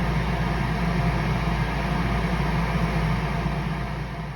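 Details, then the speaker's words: 21-year-old Bradford White 50-gallon natural gas water heater, after its buzzing power vent draft inducer was replaced with a modified Fasco A163: steady smooth low blower hum without buzzing or rattling; running quietly and healthy. "There's no more noise. Working beautifully."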